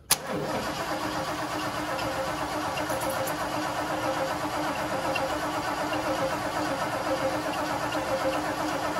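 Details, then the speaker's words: Ford 460 big block in a 1976 Lincoln Continental, 41,000 original miles, open fuel pump line just plugged: steady, even starter churn for nine seconds with no catch; pump sounds like it's pumping but engine won't start yet. "sounds like that pump's pumping sounds though sounds and really making it happen are two different things"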